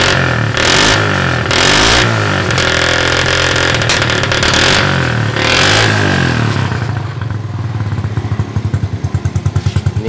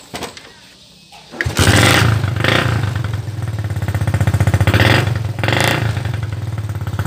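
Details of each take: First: Mocin/Supra motorcycle just after replacing the faulty ignition coil (spool) that gave no spark: revs up strongly, then drops to a lumpy idle with small uneven exhaust pops. The carburetor still needs adjusting. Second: Mocin/Supra motorcycle after replacing the faulty ignition coil (spool) that gave no spark: starts on the first kick and settles into a quick, steady idle putter of about four beats per second. Normal start and idle.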